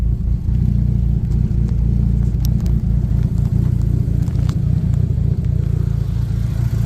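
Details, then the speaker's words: Drag-race Neon engine with a sanded and polished bearing, heard in the engine bay: deep steady rumble under revs with loud injector ticking on top, no knock; bottom end sounds healthy after the repair. "Damn, those injectors are loud, but let's hear it. No knocking out here either."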